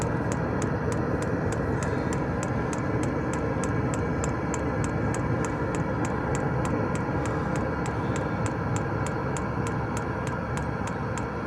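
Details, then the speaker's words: Diesel heater in a van, being refitted to draw from the van's own diesel tank instead of its supplied tank: dosing pump ticks evenly about three a second over a steady fan hum, pulsing dry with no fuel in the line; heater turning itself off, owner suspects no fuel and plans priming. "I think it's turning itself off because it's got no fuel. Yeah, that's not right."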